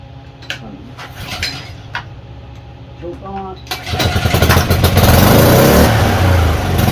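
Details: Craftsman pressure washer engine that would not run at all, after repair: a few pulls and clanks, then it catches and settles into a steady, even putter with no misses or knocks. Normal start and run.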